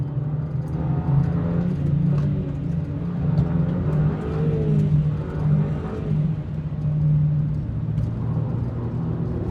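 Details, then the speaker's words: Audi TT on the Brands Hatch track, first session after an engine swap, accelerating onto the straight: the engine drone flares and hangs high without matching pull, so the clutch slips under load; the clutch was bled afterwards. "Initially I thought the clutch had just gone altogether. You can hear it slipping, so I was trying to accelerate away."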